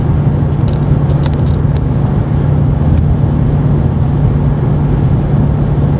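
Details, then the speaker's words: Ford Mustang cabin while driving at about 79 mph, after an earlier buzz was traced to a loose change cup, not the mount. Steady road rumble and engine drone with a faint key jingle, no buzz left: normal cabin noise. "Yeah, I hear it buzzing again. Don't know where it's coming from. I know it's not the mount. Oh. It was my change cup. Yeah, that got rid of the buzzing."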